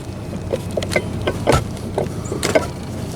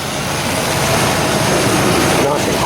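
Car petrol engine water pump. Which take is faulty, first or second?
first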